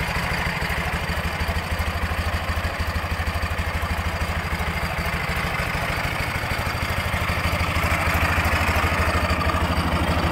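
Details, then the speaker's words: 2006 Ural Troyka 1WD sidecar motorcycle at 25,937 km, warm boxer twin idling with an even beat and a light extra metallic clatter; it is suspected, not confirmed, to be the original Russian timing gears still fitted. "it sounds to me like we're still running the uh russian timing gears i believe uh it could be wrong but it does sound like there's a little bit extra clatter which is probably the russian gears"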